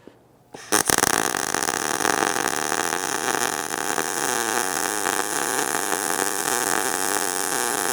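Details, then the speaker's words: ESAB Rebel 205 short-circuit MIG baseline bead at 18 V, 200 in/min wire feed, about 90 A; steady even frying-bacon crackle for several seconds with no popping, normal baseline weld. "There's our baseline."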